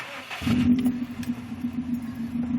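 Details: 2005 Subaru WRX STI cold start: engine catches then settles into an uneven, loping idle that surges and sags, happening every cold start since installing an air oil separator; ROM reader showed it adding too much fuel, owner suspects a vacuum leak from the install.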